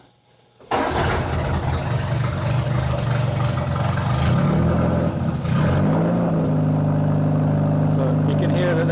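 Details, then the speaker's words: Austin-Healey Bugeye Sprite cold start on choke with a used exhaust: it catches after a second and runs with a loud, boomy, barking exhaust rising on revs. The old muffler is nearly a straight pipe and is being replaced with a generic 1.5-inch one. "so here's the muffler that I have in the car now uh it looks very nice but it's not doing much muffling at all so I'm going to remove this and replace it with something hopefully a little quieter"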